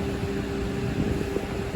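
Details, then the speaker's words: 2007 Honda Civic after its AC replacement, with the blower on medium, not high, and the air icy cold; even, smooth airflow hum with a faint steady tone and no ticking or squeal; blower working normally. "Yeah. It's not even on high. I was gonna say it's not on the high setting on the fan. Yeah, that's about medium."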